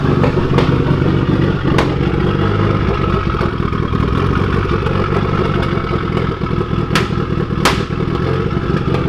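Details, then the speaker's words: Evo 8 with Manley rods, Wiseco pistons, HKS 272 cams and EGR/evap delete on its first startup; steady low idle with sharp isolated pops, and the wideband reads fully lean. "is clearly not right with this car it's just sitting there popping out idol and my FRS are all the way lean"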